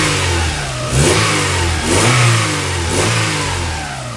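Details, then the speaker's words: Honda Accord Type R, started first time at the mechanic when the engine was feared lost: crisp throttle blips about once a second, revs climb and fall cleanly with no knocks or rattles; healthy. "this car started up the first take over and look how sweet the engine sounds as well that's coming from the mechanic itself"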